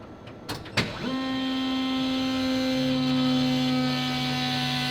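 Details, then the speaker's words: Rob Dahm's AWD four-rotor Pikes Peak car, priming the fuel system after adding a remote fill. A couple of clicks, then the fuel pump whine comes up and holds with a lower hum; normal priming. "yeah it is time to Prime the system and hear the fuel pump [Music] sing okay that's round one I'm going to try it again"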